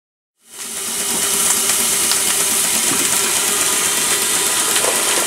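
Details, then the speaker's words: Showman's traction engine with top valve gear under steam test, after new ring fitted in HP piston: loud steady hiss under faint rhythmic chuffs; still about 80% steam blow-by, cause unknown, valve looks fine. "still have the bypass problem. We put a new ring in the HP piston. The valve doesn't look like it's any condition to blow by that much, but there's still about 80% steam blow by, so something very weird is happening there."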